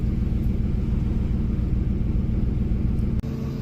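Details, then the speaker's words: 2003 Ford F-150 after sitting months: low idle rumble with an uneven, stumbling beat as one cylinder drops out; bank one fuel trim 30%, misfires logged, apparently cylinder four. "she's a runner except for Look at that bank one fuel trim is 30%. Um and it's misfiring. It's not as bad now, but it's got a total number of misfires and everything I could tell. You can probably hear it right here."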